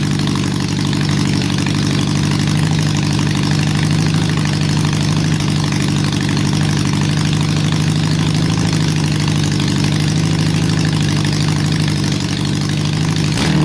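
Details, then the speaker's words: Honda CB750 restoration, engine running: uneven lumpy idle with a stumbling beat and irregular pulses; large misfire, owner suspects a vacuum leak, unconfirmed. "Sounds almost like it's got a vacuum leak. Sounds like it's got a vacuum leak."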